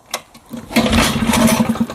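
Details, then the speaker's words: 1960s Mercury 3.9 outboard, sat about two years, new impeller, fresh stabilized fuel, needing choke: a few ragged pops, runs unevenly about a second, then sputters and dies; likely fuel starvation. "I might have spoke too soon see Nemesis right here she just doesn't want to continue looks like I got lucky on the first shot because clearly she doesn't want to continue"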